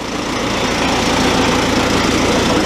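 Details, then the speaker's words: Oliver Super 55 tractor diesel after resealing its American Bosch PSB4A injection pump; fired after cranking with white smoke. Even, steady clatter with smooth rev rise, no misses, snappier throttle response. Normal running. "lot more snappy now and for damn sure well that makes me feel better for a split second there I was worried I the timing up but she took off and went so it runs a lot better"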